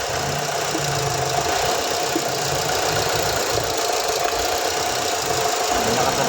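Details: 2007 Ford Escape petrol engine idling with an uneven, stumbling beat and a faint steady whine over hissy background; misfire persists after swapping injector between cylinders 2 and 3. Cylinder misfire at idle.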